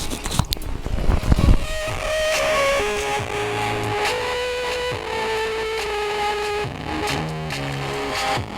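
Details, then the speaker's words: Pioneer SX-9000 receiver playing music, volume halfway, mic by speaker: harsh, fuzzy buzzing on every note, massive distortion, only left channel working, right channel silent; output-stage fault under diagnosis. "As you can hear, we have massive distortion and only the left channel is working."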